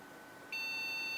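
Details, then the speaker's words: Single steady high-pitched beep, about three-quarters of a second, from an HP Pavilion a6110n still flagging a POST error after RAM was downgraded to 1 GB PC2; error code researched as a memory problem, but a bigger fault suspected. "Nope. Sounds like there's an even bigger problem than that. So, I think this thing is just a giant lemon."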